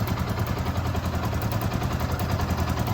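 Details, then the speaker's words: Yamaha R15 v2 started after sitting unused for a couple of years: lumpy, uneven idle with irregular popping stumbles; spark plug misfire, owner says the plug needs replacing. "I don't know if you guys can hear that yeah right there it's parking out guys so definitely needs a stock replacement"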